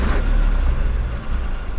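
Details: 1960 Ford Ranchero started up and heard at the exhaust: low, steady rumble at idle with an even beat and no ticks or blowing leaks; the muffled single exhaust sounds healthy, normal idle.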